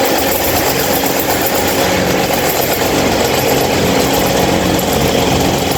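Constant loud droning roar with an uneven rough flutter underneath; the stand fan runs far noisier than it should, cause unclear.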